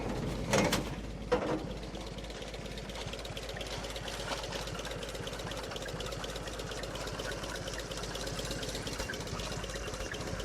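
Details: 1958 Willys DJ-3A, L-134 Go-Devil four-cylinder, after replacing leaking water pump with OMIX 17104.01 and refilling coolant: catches after a couple of cranks, settles into steady, even idle without knocks or misses; normal idle.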